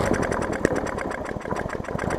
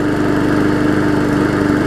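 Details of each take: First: Hyper Tough push mower, a customer return with a severely bent blade. First run gives messy, uneven popping and clatter that settles into a steady drone, with a loose gas tank touching the deck; cause not confirmed. Rough running. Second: Hyper Tough mower after a severely bent blade was replaced: steady, even idle hum at constant pitch with no knocks or wobble; the mower runs healthy.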